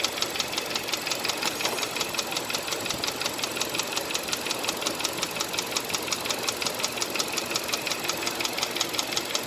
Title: Engine Knocking Sound #HyundaiAccent